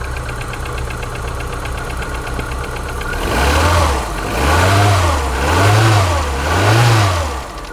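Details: Polonez Caro with 1.4 K16 petrol engine on a cold morning start, around 0°C, idling with a fast, light rattling tick and a few gentle rev swells; piston slap.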